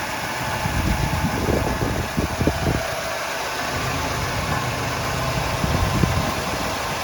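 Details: 1975 Oldsmobile Delta 88 Royale carbureted V8 after Quadrajet carburetor rebuild, choke and air cleaner refitted; steady, even idle rumble with no misses or stumbles; runs clean and healthy.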